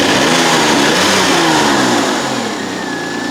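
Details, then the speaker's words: Citroen XM 3.0 24V V6, slightly cold: revs blip up then drop back quickly and settle to a steady idle without hanging high as before; normal return to idle. "No, that sounds pretty decent actually. I really think it's running nicely now. It returns to idle pretty smoothly and quickly."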